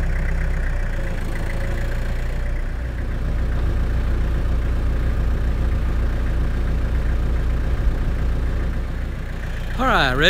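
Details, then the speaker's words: 8-foot tractor brush hog after its loose stump jumper was tightened: a steady, even low drone with only slight leftover vibration, which lessens at higher RPM. Runs mostly smooth. "well it's still got a little a little vibration to it but not much at all and in fact the higher the RPMs the more the vibration goes away"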